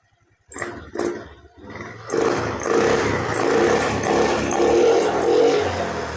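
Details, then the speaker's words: Engine start after piston and cylinder reassembly, exhaust fitted, injector and ECU normal; a few blips with high revs first, then settles to a steady, even idle with no knock or rattle, normal. "Saat dihidupkan pertama itu seperti putaran gede dulu ya. Jadi putaran besar dulu, kemudian langsam."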